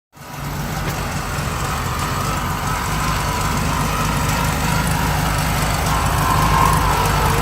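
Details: 1971 VW Bus Deluxe air-cooled flat engine idles unevenly with a loping, lumpy beat and loud generator whirring, then dies; runs rich after a carb rebuild, choke set on top notch, owner suspects carb adjustment, not confirmed.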